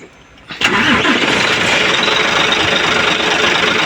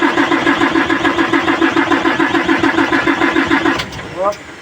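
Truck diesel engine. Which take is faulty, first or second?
second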